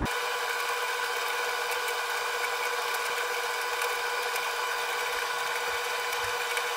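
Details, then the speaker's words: Arçelik 3891 KT A++ 9 kg tumble dryer mid-cycle with a small load: even hum and soft drum tumble, no knocks; drum periodically stops and reverses so the moisture sensor can check dryness and shorten the time; normal. "makine kurutma esnasında bazı anlarda duruyor ters yöne dönerek sonra tekrar ileriye dönerek bir hareket yapıyor bu harekette nem sensörü ile içerisindeki çamaşırların kuruluk oranını ölçüyor"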